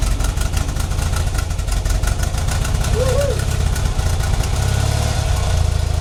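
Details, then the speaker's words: 1975 BMW R75/6 boxer, about 140,000 miles, off road over a year, on full choke in neutral: deep even low thump holding steady idle; clean first start in over a year. "so that's the first time it started in over a year"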